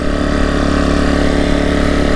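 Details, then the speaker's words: Off-grid generator just fitted with a new spark plug: steady, even engine drone with constant pitch, no surging or stumbling, sounding a little better than before; normal running. "It's already sounding a little better. I can actually hear a difference."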